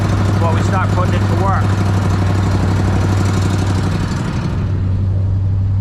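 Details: Small engine run with Sea Foam in the fuel to clean the carburetor: steady low buzzing drone at even speed before tapering off, no misses or stumbles; runs fine.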